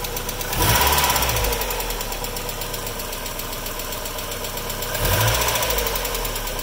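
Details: Mazda Miata after sitting a while, fast light ticking over idle: hydraulic lifters clattering until oil pressure rebuilds, may take a few minutes of driving.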